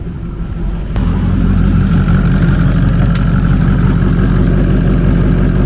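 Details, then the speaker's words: 2003 Ford Excursion 6.0 Powerstroke diesel, first start after sitting 2–3 years: catches about a second in, then settles into a deep, even diesel clatter at steady speed; healthy normal idle. "Okay. Woo. Sounds pretty good. She sounds pretty good, guys."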